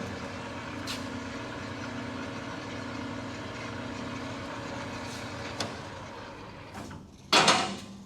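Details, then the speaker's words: New Precision Matthews PM-1660TL lathe, first run, headstock in low range gear 2, then foot brake applied: even steady low gear hum, no knocks or grinding, then a brake clunk; gears sounding even, normal. "so far it's sounding pretty uh pretty even with each gear"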